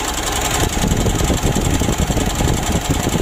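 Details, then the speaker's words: Mitsubishi Pajero Sport Exceed diesel after starting: coarse, uneven rattle over the injector sound, loudest at the front of the engine; front engine noise, source unconfirmed. "Seluruhnya begitu yang bikin agak kurang enak ya itu suara bagian depan sini"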